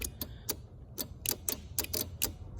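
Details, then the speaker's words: 2008 Kia Sorento 3.3 V6 towed in as no-start: after swapping the starter relay with the power window relay, sharp uneven light relay clicks with no cranking, relay good, starter suspected failed; next step hammer-tapping the starter underneath. "All right, and hit it. I can physically feel it clicking, so we know it's good."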